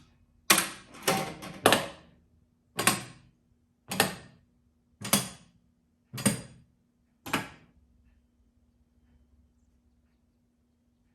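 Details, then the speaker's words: 1978 Williams Phoenix pinball machine, first power-on after restoration, in the solenoid test mode: eight sharp mechanical clunks about a second apart over a faint hum. The solenoids fire one by one normally. "The next test, I believe, is the solenoid test, so I'm going to hit advance, and we should start seeing every solenoid in the machine fire."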